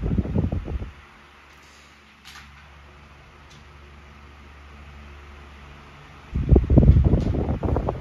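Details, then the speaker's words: SMC TR-12 12-inch desk fan (2001–02), new old stock bought unopened: soft steady low hum with an even airy whoosh, no rattle, ticking or wobble; quiet and running normally. "this is the kind of fan that I would take to work or put somewhere where I just wanted a Dependable fan that's quiet and powerful you know when you need it to be"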